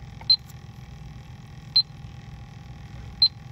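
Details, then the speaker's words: Hayward HeatPro pool heat pump showing an LP (low pressure) error and not heating: an electronic leak detector at the outdoor filter drier gives three sharp high beeps about 1.5 s apart over a faint hum, confirming an R410A leak at the drier. "so we're using the ellitech electronic leak detector all right so let's confirm our suspicions or that we've visibly witnessed there you go say no more filter dryer is the course"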